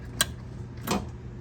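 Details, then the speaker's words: EZGO TXT 36-volt golf cart that won't move, key on, pedal pressed and released: three sharp clicks about half a second apart as the solenoid pulls in and drops out; battery voltage drops to 38.6 V, switches good, solenoid next to test. "and you can hear the ceil clicking in and out so what we're going to do uh therefore you know your mic switch and the floorboard is good your re switch is good your key switch is good so we're going to go straight to the sillinoid"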